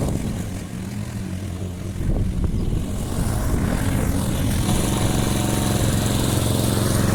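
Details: Briggs & Stratton Quantum engine on a Clipper lawn mower after spark plug work (previously wouldn't keep running after winter): steady low drone holds speed as blade bites grass, even firing; normal running under load.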